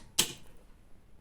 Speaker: did you hear that Yep this relay does work